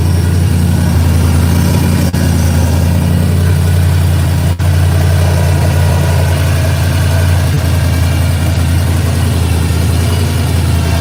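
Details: V8 with big exhaust, after long storage on race gas: deep, loud, steady rumble with an even lope and nothing knocking or ticking; healthy idle.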